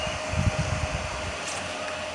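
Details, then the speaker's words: Home-built 15 A CT 55 power amplifier, just powered on via MCB: steady airy hiss with a faint thin tone, no rattle or ticking; a bit noisy because it has four cooling fans, which run normally. "Agak berisik, teman-teman. Karena ada empat kipas angin, kawan-kawan."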